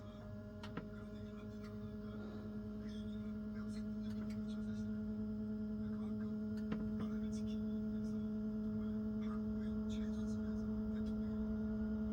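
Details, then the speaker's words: Webasto (German) diesel parking heater in a camper van, run after a winter of use: steady low hum swelling smoothly at switch-on, with tick-tick of the pump drawing fuel from the tank; initial startup is somewhat loud, normal. "딱 켜자마자 이게 소리가 나죠? 이제 오일을 착 당기는 소리야 저게. 틱틱틱틱 소리 나죠?"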